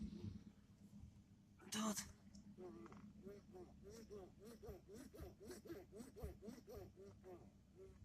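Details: Toyota Camry 30 steering: rubbery squeak repeating about three times a second as the wheel is rocked, from a dry steering column boot; fix is lubricating the boot with silicone spray.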